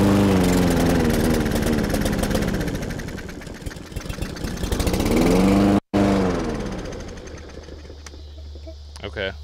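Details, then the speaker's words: Yard Force EX675 163cc push mower, bottle-fed fuel into the carb: surges up and sags repeatedly, then falls off and dies; carburetor gummed up, which is why it won't start. "told us is the carb is gummed up that's why it's not starting"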